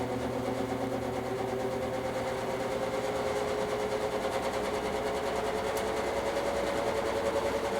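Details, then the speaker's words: Vintage GE box fan (lineup of W12, W13, W16, W22, W25 models) running, steady motor hum with a fine light buzz from the guard cage rattling against the fan; fan cage rattle. "I'm actually going to move the camera now. This one also has a bit of a cage rattle."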